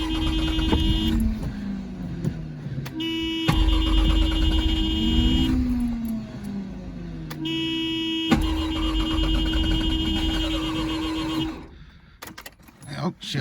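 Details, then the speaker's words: 1984 Mazda RX-7 GS 12A rotary, first start attempt, with a new battery, fresh gas and starter fluid: repeated starter bursts with brief flares that never catch; cranks but won't start, compression and plugs suspected. "Don't know. Got to figure this one out. Oh, couldn't get her to start."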